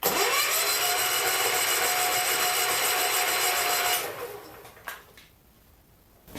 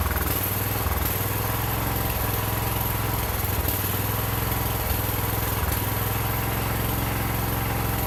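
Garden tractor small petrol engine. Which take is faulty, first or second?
first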